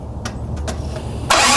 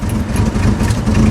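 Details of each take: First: Jeep cranking after the distributor was reinstalled with the rotor 180 degrees from its original position (moved from 5 to 2): a few light ticks, then one sharp loud pop and a rushing roar. Ignition backfire from the distributor sitting 180 degrees out. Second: Jeep idling steady and even with no misses or stumbles after the timing was adjusted, no throttle given. Normal idle.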